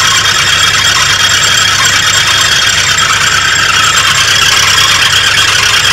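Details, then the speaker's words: 1983 Oldsmobile Delta 88 Royale that now starts immediately: loud, even idle with a steady, unchanging high-pitched squeal from a pulley. Owner suspects the alternator; squeal at idle, cause unconfirmed. "well it starts up immediately now and at least idle sounds like it might be the alternator"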